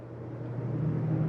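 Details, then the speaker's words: 2023 Jayco Northpoint 382FLRB rooftop AC unit set to heat at 70 degrees, fan switched on. A soft, steady low hum builds slightly and holds even with no rattle or squeal. The fan is running normally. "now generally you can shut these off and the heat shuts off after a couple moments but yeah I just want to show you also have a fan you can turn on"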